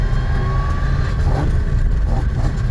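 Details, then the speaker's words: Car with CD009 transmission, slow parking-lot drive: heavy engine drone with faint road-speed gear whine, normal CD009 gearbox noise; earlier clicking/banging noise (suspected clutch, flywheel or trans) is gone. "No more clickety clackety, bang bang, whatever it is. It still makes CD09 noises, but whatever that other noise was a lot worse than the CD09 noise."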